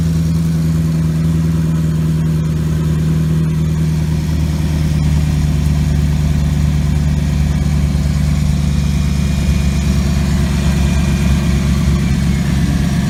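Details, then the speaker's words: 2014 Maserati GranTurismo, cold engine after sitting overnight: smooth, even low idle with a steady hum and no tapping or rattle. The noise near the transmission occurs only when fully warm. "so I have the car sit overnight so now the engines completely cold and when the vehicles cold you don't notice that sound so the issue seems to be only when the engine is completely warm"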